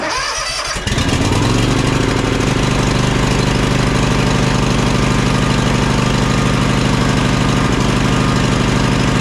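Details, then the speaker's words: John Deere X300 riding mower, ethanol-free fuel, both cylinders firing: catches and climbs to full throttle with thick, uneven, hunting rumble, running rich and rough; choke sticking partly closed instead of springing back. "to a trained ear I can tell instantly when I fired this up this last time when I just went to pull it in that the choke is sticking right that's that's what I'm hearing that's what I'm smelling"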